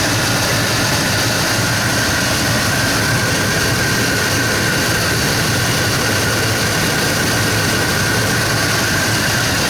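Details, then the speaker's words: 2005 Dodge Dakota at idle, scanner suggesting faulty O2 sensor or vacuum leak: steady idle with uneven, shaky low rumble; rough idle, likely lean from a suspected vacuum leak, smoke test planned. "so it was saying a faulty O2 censor a vacuum leak or what"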